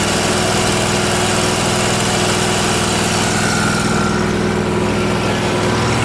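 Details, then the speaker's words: Miller Trailblazer welder engine after the fault was traced to its vacuum-operated fuel pump: a steady, even drone with a smooth idle and no hunting. The mixture screw had no effect at high or low idle. "putting the fuel pump on fixed it so it was this vacuum operated fuel pump that was the issue because it runs fine now"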